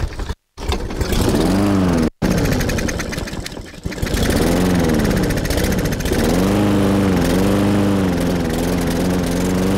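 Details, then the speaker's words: Yard Force EX675 163cc push mower, bottle-fed fuel into the carb: catches after cutouts, hunts and surges in pitch, runs unevenly; carburetor gummed up, which is why it won't start. "okay that told us is the carb is gummed up that's why it's not starting"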